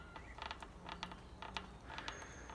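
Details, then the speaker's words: Old Carlton fixie bicycle: short dry creaks each time handlebars are rocked, from quill handlebar stem/headset area; fixed by stripping, cleaning, lubricating, reassembling and adjusting the stem. "you can see every time i move the handlebars a little bit it creaks"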